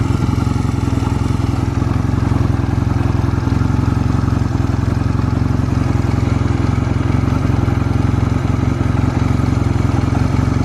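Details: Stored Honda Rebel 250 Special (MC13) motorcycle at a start-up check, with a steady, even low thrum at idle and no knocks or ticks. Normal idle, no abnormal engine noise.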